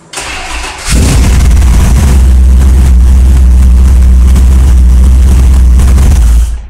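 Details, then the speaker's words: 1982 El Camino V8 with MSD 6AL ignition, after a crank-no-start traced to a pushed-out pin in the small black MSD connector; pins reseated, then a brief crank and the engine fires right up and runs strong, steady and even, starting normally. "once I saw that I pushed the pins and the connector back together and it started so with that connector pushed back together I was able to hit the key and have a listen"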